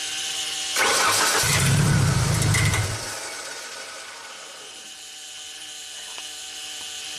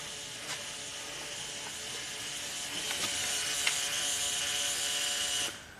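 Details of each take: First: 1999 Genie Z45/25J lift, Ford LRG-425 four-cylinder fuel-injected engine, electronic throttle fault after prior repair attempts: catches and runs rough about two seconds, then dies; throttle body shows no response, so it won't stay running. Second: 1999 Genie lift, platform controls at key-on: steady high electric whirr holds a few seconds then cuts out, normal fuel pump priming; machine has an electronic throttle fault and won't stay running, new throttle body propped open with wire.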